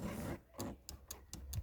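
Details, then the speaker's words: Audi Q5 tailgate taillight micro switch, one of two contacted by the closing boot lid to power the tailgate lights, pressed by hand: six crisp, sharp clicks in under two seconds, switch snapping cleanly. "So when the boot lid comes down, it goes in there, and it just touches those two micro switches, pushes those up, and the lights on the tailgate work."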